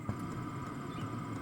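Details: Hcalory HC2 diesel heater putting out about 330°F: steady fan whir over a low hum with a recurring tap-tap as the fan speeds up while adjusting the set temperature; it is running normally.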